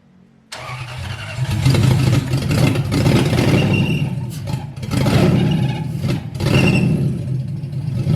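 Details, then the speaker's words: Lexus IS300 with swapped 1UZ V8, first start on a base map: rough, loud running with an uneven rattling clatter. Loud noise from the rear bottom of the bell housing, worse when the clutch is released; source unknown. "and when it started the first time there was a hellacious noise coming from the rear bottom of the bell housing area I'm not sure what it was"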